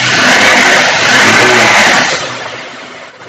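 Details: Bajaj Pulsar 180 with the old CDI fitted: throttle is blipped, revs rise then drop straight away and the engine dies; pickup and RPM problem blamed on a faulty CDI unit.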